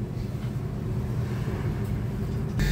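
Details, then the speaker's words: Three-door chiller after removing a dead rat that was jamming the fan: steady, even low hum of the fan running smoothly, with no rubbing, ticking or rattling. "Okey hidup deh hidup dah. Tak ada bunyiah sebab dia bunyi tu dia sekat dengan tikus ah."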